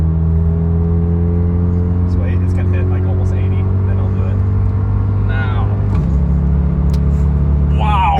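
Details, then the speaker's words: 1991 Lexus LS400 automatic (A340) after Transgo shift kit and new shift solenoids, hard acceleration: steady drone then sudden pitch drop as it snaps cleanly into next gear; firm, much harder shift. "So you can see in those first 2 videos, it shifted so much harder."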